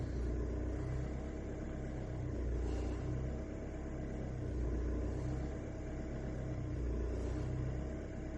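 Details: 2008 Skoda with BLS diesel engine at operating temperature, hard starting when hot with no diagnostic errors: idle rumble swelling and sagging every second or so after hot start; rough running.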